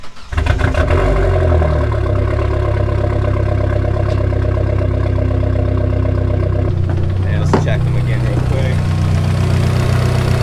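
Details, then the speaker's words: Dodge Neon SRT4 with stock head and cam, MPX 3-inch full exhaust with cat, after new -6AN braided return fuel line, fittings dry: steady, even idle with deep, smooth exhaust rumble, no misses or ticks; healthy. "So this has the MPX 3-inch exhaust, full exhaust with cat. Doesn't it just sound great? Stock head, stock cam."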